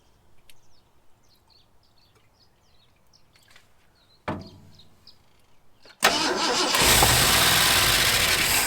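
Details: Long-parked 1974 Ford F100 with gasoline poured into the carburetor: quiet, then it catches and roars up loud and ragged. Owner suspects a clogged carburetor and plans a carb kit.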